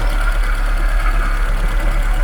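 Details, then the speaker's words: Żuk van engine after exhaust valve seat and bent pushrod repair: a loud, deep, blatting idle with an open, unmuffled thump, because the exhaust pipe is not attached underneath. A bearing noise is also suspected to come from the generator or water pump. "oh by the way I think I found the reason why this so noisy yeah the exhaust is not really attached down"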